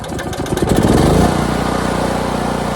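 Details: Harbor Freight Predator 8750 generator, used nonstop for about a year, first start after replacing burnt brushes and the voltage regulator: brief start-up clatter, then a steady even run with no hunting or surging, showing 120 V output. Worn brushes were apparently the fault.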